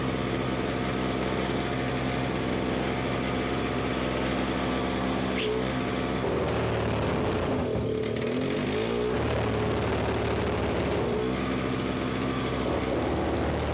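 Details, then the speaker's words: Simplicity 520 single-stage snowblower (5 hp, 20 in), second start on choke: steady single-cylinder drone sags and labours when the auger takes load, then recovers; owner suspects the carburetor. "seems like maybe we got to go in the carburetor a little bit cuz you put a load on it and it just slows down and it it definitely should not do that"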